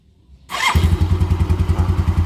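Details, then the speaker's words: Xeon carburetted motorcycle, after repairing starter that only clicked without cranking: engine catches on first press and settles into even putt about nine firings a second; normal start. "satu kali starter dia langsung hidup Ya itulah bentuk kenormalan P Din nya jadi tidak ada kendala lain"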